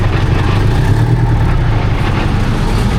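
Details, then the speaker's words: 1972 Diamond REO C116, 8V71 diesel revived after about 20 years sitting, straight pipes: deep, steady drone with an even firing beat and no misses, hitting all eight cylinders. Normal running. "Definitely hitting all eight."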